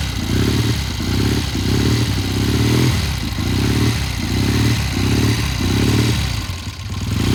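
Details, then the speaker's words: 1972 Triumph TR6 motorcycle after front sprocket and chain work, started cold: surges and stumbles about once a second, breaking up and misfiring, clearing as it warms; owner plans to check the pilot jet. "okay okay now it sounded rough it cleared up it just you know we had the same problem before it takes a little while for this thing to warm up"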